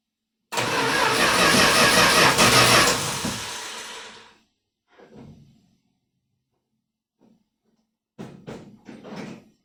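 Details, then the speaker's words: 1978 Dodge Power Wagon being restarted after an oil change from old, long-parked oil: a few seconds of labored slow cranking that fades away without catching; owner says the battery is dying and will use a jump box. "Well, it sounds Like my battery is dying. So have to put the jump box on it and try again."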